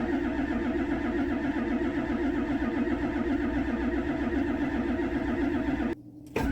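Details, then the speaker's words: 1999 Ford F-250 7.3 Powerstroke diesel, sat over 3 years: starter spins engine evenly, never fires, no white smoke while cranking despite 55-60 psi fuel pressure; no high-pressure oil to injectors from loose HPOP drive gear. "And I come across a little bit of information on the gear for the high pressure oil pump, maybe acting up."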